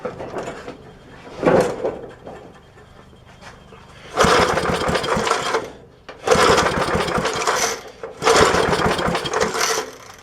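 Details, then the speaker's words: 1966 Briggs & Stratton lawnmower engine, unrun 15-20 years, points ignition, fuel poured into the carburetor: three short rough bursts about two seconds apart, each dying at once; spark lost again, plug shows nothing. "but it got all crowded up looks like we've lost spark again"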